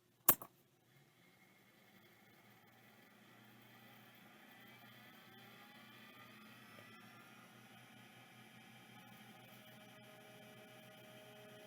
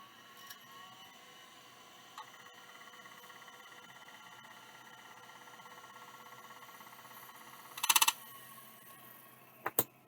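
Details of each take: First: Imported mailbag hard drive that was parked before shipping, powered up first try: a click, then a faint rising whir settling into a soft, steady spindle hum with no scraping or ticking. It spins up cleanly and very quietly. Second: Mailbag hard drive suspected of a head crash and believed to use an embedded track zero, manually parked by hand before power-up: a thin spindle whine and faint ticks, then a harsh rattling seek burst. It cannot find track zero and shuts down; grooves were later found on the disk.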